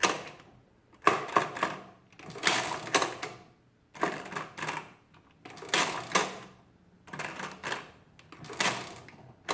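Crisp bursts of rapid clattering, each cycle ending cleanly with quiet gaps between; the mechanism runs freely and sounds healthy.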